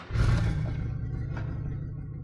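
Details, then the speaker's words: Low-buck LS turbo truck (0411 ECU) with a new 3 bar MAP sensor and HP Tuners 3 Bar Enhanced OS, at initial startup and idle tuning: a brief flare, then a deep even idle with no hunting. Wideband reads 14–15; it runs better. "and that actually sounds better I guess you can't probably can't hear it again cuz I'm got a headset on and recording through my laptop"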